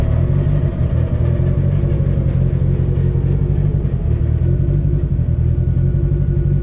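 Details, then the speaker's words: Test drive of the car after CV axle and driveshaft fixes, driven lightly on a back road: steady, even low road drone with no rhythmic thump or shudder rising with speed; drivetrain smooth, no vibration. "yeah it sounds good feels good no vibration feel test drive went good everything felt fine uh drive shaft felt smooth there's no crazy vibrations"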